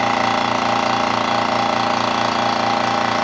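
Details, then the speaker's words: Gast 1LAA electric piston compressor bench test after overhaul, building pressure toward 50 psi in a 3-gallon receiver: steady buzzing hum with normal slight vibration and air hissing from the pressure bleed, no knocks. "here is a little bit of vibration and noise to it that's normal and also you hear the air hissing which is my pressure uh leap out"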